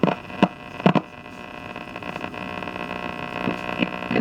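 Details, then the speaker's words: 1960s GE C-403G tube clock radio, after two new capacitors were fitted to cure hum and with sketchy tube sockets: steady low mains hum under distorted, garbled station audio with crackly bursts. Cause unknown; the circuit board needs removing for troubleshooting. "Okay, so you got some station here. Sounds kind of garbly though."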